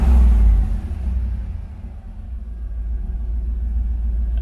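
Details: LS-swapped Chevy El Camino (G-body) on Holley EFI, still slightly warm, after connecting the internal MAP sensor to fix false lean air-fuel readings; a deep rev drops back to an even, steady burble with no misses or stumbles, running cleanly.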